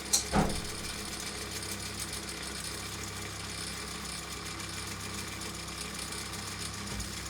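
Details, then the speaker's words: Philips EL 3514 tape recorder under repair, with only the rewind being tested: clicks at switch-on, then a steady, even motor whir with a faint hum; normal rewind run, though the tape missed the reel. "Yeah, it feels all right actually. It feels tor right."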